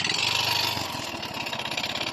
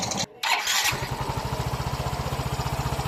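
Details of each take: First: Yamaha Mio i 125 scooter at idle before repair: harsh metallic clatter and rapid ticking, head ticking and piston slap; engine oil found almost completely empty. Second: Even, steady putter at idle with no knocking or tapping from a Yamaha Mio i 125 after engine repair for head ticking and piston slap; engine sounds like new.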